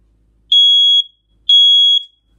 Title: Smoke Alarm Two Beeps!